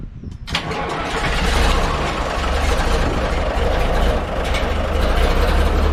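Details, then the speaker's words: 1355 diesel tractor with a battery just fitted, expected to need its lines bled, return line not in the tank: a brief crank, then it catches at once and settles to a steady, deep, even idle; an easy, healthy start. "That's kind of crazy. But anyway, nice thing is that started so easily. It did."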